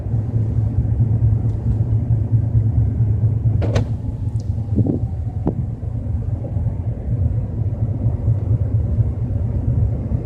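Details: BMW 320i with a low rumbling noise while driving at 30–40 km/h; steady low droning rumble under the car, no knock or tick on top, source not pinned down.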